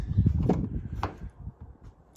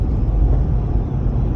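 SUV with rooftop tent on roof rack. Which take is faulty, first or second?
first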